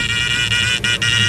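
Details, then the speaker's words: 1969 Dodge Charger electric fuel pump powered by Power Probe, tank far from empty: steady high whine with brief dropouts, cavitation-like, worsening the longer it runs; owner suspects it caused engine bucking; pump later replaced. "it's going to start making like a cavitation sound like it's getting towards the end there's no fuel but there is plenty of fuel here you go hear that that's probably where my bucking was coming from"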